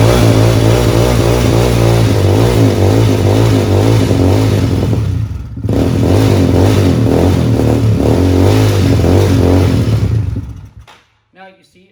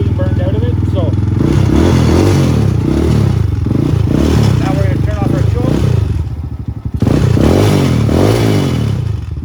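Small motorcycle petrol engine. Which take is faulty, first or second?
first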